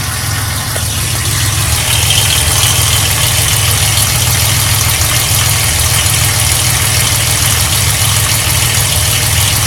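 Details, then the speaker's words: 1995 Ford Explorer 4.0L OHV V6 idling, heard from underneath: a deep uneven thrum from the oil pan/bottom of the engine that began after an oil change; heat shields checked and ruled out, valve tick separate. "The noise I'm after is actually under the truck. It's coming from the oil pan. I'm sure it's not heat shield on anything."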